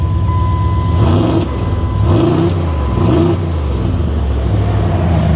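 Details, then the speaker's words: Older Dodge Ram catches and revs up and down cleanly with no misses or knocks; cap and rotor suspected original cause. "Okay, well, let's see what happens here now. It runs."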